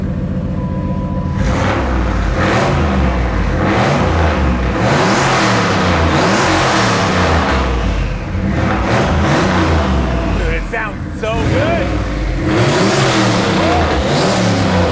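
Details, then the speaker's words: Lincoln with forged stroker 4.6 4V V8, $317 70mm turbo, Holley Terminator X on a rough base tune: deep V8 rumble rising and falling through strong revs, pulling cleanly without misses or knocks; turbo a little smoky, engine healthy. "the motor sounds awesome Turbo's a little bit Smoky but this thing is killer"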